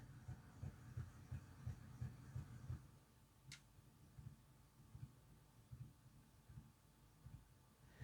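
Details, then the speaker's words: Golden Valley Hobbies Janus 0-6-0DE model shunter, new out of box, not run in: low dull thuds about three per second over faint motor hum, moving the track; drive knocking, cause unclear. "Even without being running, I don't think it should be making that thud. It's moving the track a fair bit as well. To me, that just doesn't sound right."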